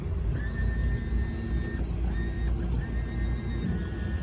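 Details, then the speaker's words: Barletta pontoon boat outboard, underway, trimming up then all the way down: thin steady whine from the trim motor that changes to a different, higher pitch as it bottoms out at full trim down; normal trim motor whine. "you can also hear it tony if he trims up you can listen to it whine as it goes up it's a whining sound"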